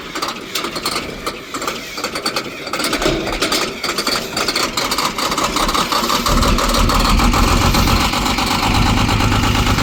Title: 1995 International Cab Over Semi | 11.1L Detroit Diesel | 10 Speed | Hard Starting Cranky Cold Start